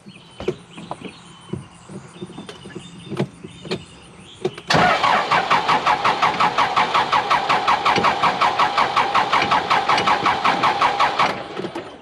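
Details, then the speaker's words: Cat 416C diesel backhoe, hard to start especially after wet conditions: even starter cranking at two to three compression beats a second for six seconds, never catching; seems not getting diesel, primed again, starter fluid planned. "almost like it's not getting diesel all right let's prime it again i may have to spray some ether"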